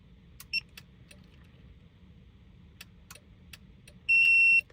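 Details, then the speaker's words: Mercedes-Benz C300 W204 with newly installed iDataStart aftermarket remote starter: quick chirp then a single half-second high beep with red LED; remote start refused because the vehicle hasn't been started yet after programming. "The vehicle is not going to want to start because we haven't started the vehicle yet. You can tell when you get a red LED, as I'll try again here."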